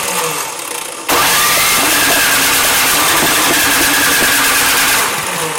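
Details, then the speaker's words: Troy-Bilt snow blower (26-inch) cranked with starting fluid sprayed down the spark plug hole: engine catches, runs rough about four seconds, then dies. It has spark, air and compression but is missing fuel, starved of fuel. "so it trying to fire and die alright so we're trying to kick over and die means we have what you have sparked you have air you have compression or missing fuel"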